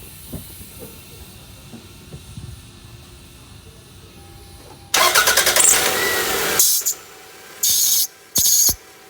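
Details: 1999 Toyota Camry at idle: sharp high squeals in bursts when the A/C is switched on or the steering wheel is turned; accessory load squeal, which the owner attributes to a timing belt needing replacement (unconfirmed).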